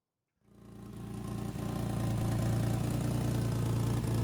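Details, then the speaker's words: Ford Capri 2.8 Injection, about 40 years old: engine fires and settles into an uneven, chuffing rough idle about three beats a second, caused by a knocked, leaking exhaust joint underneath; exhaust leak. "So, here's a Capri running and it's running terribly. And down here is the source of that. That is the exhaust join that I knocked when I drove out of the Ford showroom."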